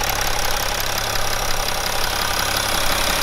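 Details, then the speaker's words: BMW E61 530d M57N diesel, 232,000 km, after timing chain failure repair: steady idle with even clatter, no knocks, rattles or chain slap over the hiss; normal diesel idle. "I don't I don't care any parasitic sounds for anything like this Everything feels fine"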